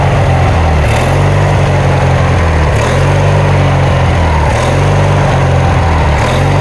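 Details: Kohler Magnum 20 engine on a Wizard mower, first start after repairs, drive belt removed: low engine note rises and dips in a regular cycle about every two seconds; engine surging/hunting, carburettor adjustment needed, cause suspected, not confirmed.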